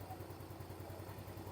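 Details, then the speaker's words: Yamaha Mio S 125 scooter with one-year-old Kayaba battery too weak to electric-start (9.8 V), kick-started instead: quick even single-cylinder idle about ten pulses a second, charging over 13 V; engine healthy, battery dead. "Kita hidupinnya lewat selahan seperti ini. Nah, kalau dihidupin normal tegangannya di 13 lebih seperti itu."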